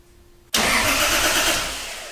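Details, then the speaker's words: 2JZ-swapped 240SX with injectors disabled, cranking after a relay was spliced into the starter signal wire to fix low solenoid voltage: the starter bites at once and spins the engine briskly and evenly, no clicking; normal cranking, fix confirmed. "All right, so it seems to work."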